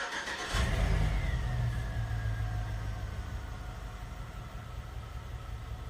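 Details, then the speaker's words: GM 5.3L LS V8 revs then settles to a lumpy, shaking idle with a pretty terrible miss, in gear, passenger front O2 sensor unplugged; dead cylinder misfire, cylinder four shutoff causes no change. "it's still got a little bit of a mess and a shake to it but actually seems to pull quite a bit cleaner just free wrapping go ahead and put it in gear still got a mess pretty terrible miss actually"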